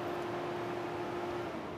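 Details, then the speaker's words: 2014 Ford Flex with no fault, engine off during a key-on engine-off self-test: clicking as the test runs, then the cooling fan motor kicks on with a smooth, steady electric hum; normal fan operation, no DTC stored. "once i select that you'll notice that it's going to it's going to start you'll hear some stuff clicking cooling fan motor kicks on"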